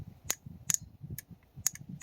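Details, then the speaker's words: Toyota T100 2.7L 3RZ-FE, code P0402 EGR: bench-powered EGR valve solenoid gives sharp dry uneven clicks, about five in two seconds, working only intermittently; resistance readings suggest intermittent open coil. "I played around with it a little more, then it started clicking, so it started working. So you hear that? So now it's working."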